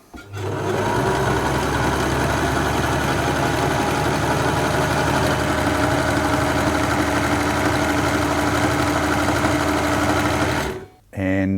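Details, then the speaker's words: 1974 Singer Genie 354 sewing machine after full service, cold machine in a cold room: steady, even whirr at a brisk constant speed with no knocks or catches; normal running, seemingly faster than before service. "let's have a listen here and see how fast the machine's running now"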